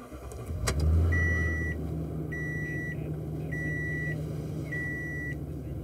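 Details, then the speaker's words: 2014 Toyota Tundra 5.7 V8 after TSB PCM update for hard start, restarted after adding three gallons of fuel to relearn alcohol content: brief starter whir, catches within a second, smooth idle; normal start. "okay so I just added some fuel to the vehicle I'll go ahead and start it back up"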